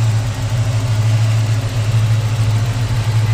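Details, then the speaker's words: 1940 Mercury 8 Coupe Sedan fitted with a fuel-injected Ford 351W V8, running after start-up and rev: a deep, steady low hum with an even beat and no ticking or stumble; normal healthy idle. "go ahead and rev it up [Music] you know it sounds great"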